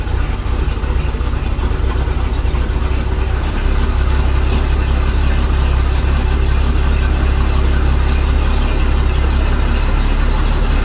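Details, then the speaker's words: Mercruiser 4.3 boat engine after new fuel line, fuel filter and broken oil pressure safety switch fix: deep, steady rumble at even idle, no knocks, stumbles or surging; running smoothly. "Sounds like it's running good. Alright, well, with that sounding so good, I'm gonna call this video a win."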